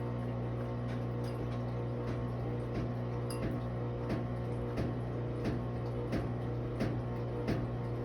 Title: Maytag washer With Banging Noises